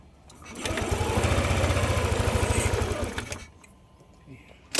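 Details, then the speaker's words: Yamaha NMAX 155 V2 with hard starting and stalling, running on a manual IAC; idle rises and falls like a wave, pulsing low throb swelling and fading over a few seconds. Hunting idle; throttle body leak checked by covering IAC hole. "Kung mapapansin niyo parang wave nga 'yung idle tataas bababa tataas bababa kahit naka-manual IC na nga ito."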